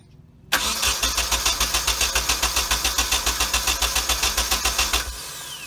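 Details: Nissan 240SX with freshly installed KA24DET engine, new harness, fuel lines and Z32 fuel filter, first start attempt: starter cranks evenly about three and a half turns a second for five seconds, engine never catches.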